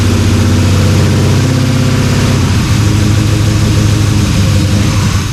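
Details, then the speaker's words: LS-swapped Dodge Dakota V8 started after sitting a year, on internal one-bar MAP tune: lumpy, stumbling idle running on only one bank, four cylinders; owner suspects stuck injectors on an intake that sat on a shelf. "so you're running on four cylinders yeah it's running on four cylinders which means the I'm sure it's an injector thing"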